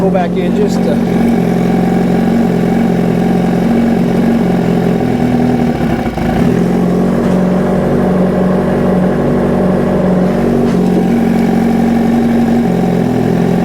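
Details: 2005 Yamaha R6 inline-four after a throttle body vacuum sync (valves adjusted earlier): even, smooth note picking up cleanly on each throttle blip and settling back; all four cylinders pull equal vacuum and sound balanced.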